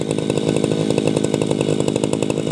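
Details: Tabata two-stroke brush cutter, 7+ years daily use, original block and piston, rings and damper replaced; buzzy high-rev running with crisp even firing beat: normal running.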